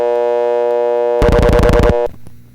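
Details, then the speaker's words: Panel telephone switch: steady buzzy sender dial tone continues through burst of dial pulses for first digit, cutting off only afterward because dial tone is coupled through a sender relay; normal for this exchange. "Why did the dial tone only cut off after we were done dialing the first digit?"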